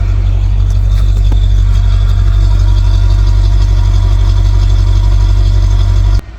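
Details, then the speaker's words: Ford LTD 5.0-litre V8 at idle: deep, soft, even rumble at about four beats a second with little bark when blipped; weak, muffled exhaust, with the power steering pump louder than the exhaust. "It's hard to tell if it's actually running sometimes. The power steering pump's making more noise than the exhaust."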